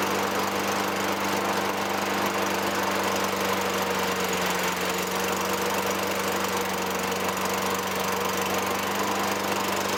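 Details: 2003 Toro Recycler 20016 with Tecumseh 6.5 single-cylinder, a trash find, runs after carb cleaning and removing litter-like debris from the gas tank. It holds an even, steady drone at constant speed with no misses, surges or knocks. Light smoke lightens as it runs.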